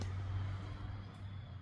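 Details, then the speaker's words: 2014 Jeep JK 3.6L that misfired on driver's side cylinders 2, 4 and 6 with rich injectors and lean codes (P0174), after new injectors and seals and replacing a faulty new sensor. Low, steady, even idle rumble with no stumbles: normal idle. "we didn't give up, but it is running so smooth. It's just smooth. It was not running like that at all with that other brand new sensor in there."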